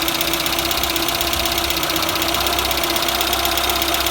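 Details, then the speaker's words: Citroën BX 14 TGE after repairing the leaking pressure regulator: rapid, fairly even clacking about four times a second over the running engine, hydraulic water-hammer knock likely from a flat main accumulator sphere. "par contre les claquements qu'on entend bah là c'est la sphère principale qui doit être à donc du coup ça fait des coup béliers dans les"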